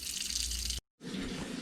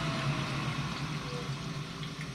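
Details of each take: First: Lochinvar Shield SNR 126-065 commercial water heater: steady hiss and spatter of water as the union above the circulating pump leaks badly. The water runs over the pump and shorts it out. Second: Lochinvar Shield SNR 126-065 commercial water heater after the leaking union above the circulating pump was repaired: steady low pump hum under soft trickling water, with no rattle, grinding or surging. The pump circulates normally and there are no leaks.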